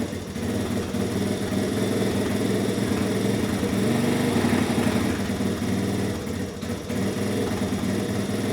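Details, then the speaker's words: 1983 Honda ATC 70 small single-cylinder engine after clutch adjustment, steady lumpy idle with a loud, raspy exhaust bark well above normal; exhaust is loud, cause not stated. "as you can hear the exhaust is pretty loud on her"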